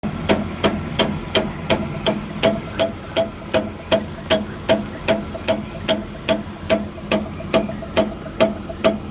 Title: Chipper motor clutch knocking noise